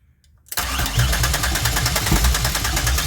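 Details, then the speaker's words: 2004 Grand Am with 3800 supercharged engine and 5-speed swap, first start attempt after wiring the engine harness, fuel pump powered by a jumper wire: uneven cranking at about three pulses a second with a couple of stronger thumps as it briefly tries to fire. "Oh! Hey, it tried to start. Ooh, I heard it."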